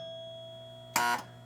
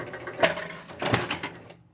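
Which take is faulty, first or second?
first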